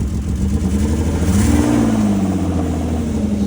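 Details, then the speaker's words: Vehicle started with a jump: the engine revs and settles with a rough, blatting low exhaust note. An exhaust leak or something underneath is suspected, unconfirmed. "Sounds like it has some exhaust exhaust leak. something going on down there."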